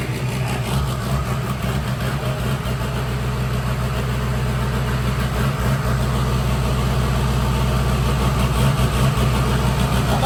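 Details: Freshly built diesel mud truck on its first startup, pulling away under its own power for the first time: deep, steady rumble holding even under load with no knocks or misses; normal running.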